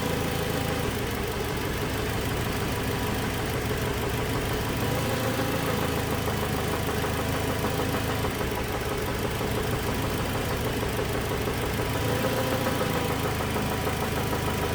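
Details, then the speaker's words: 2007 Toyota Tacoma 2.7 four-cylinder at idle while the scanner cuts injectors one by one. A dull, regular lower-end knock follows engine speed and sounds worse with injector 1 killed. Teardown revealed a spun connecting rod bearing. "so we're going to use a scanner to individually kill injectors and see if the knock diminishes it actually sounds worse when we kill injector one"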